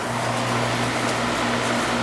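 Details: Carrier AC condenser that was not cooling, restarted; dead compressor side of the capacitor found, fan side low. Running and getting cold: steady even hum, low fan drone, smooth airflow, no rattles or clicks; normal running.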